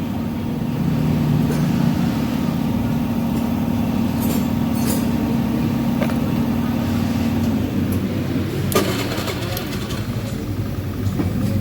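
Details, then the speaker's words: Honda Beat FI scooter with intermittent no-start despite a new battery; engine fires and idles steadily, but starts fail when voltage drops to about 11 V; running voltage reads around 12–13 V; cause unconfirmed. "Try starting it, it doesn't work anymore."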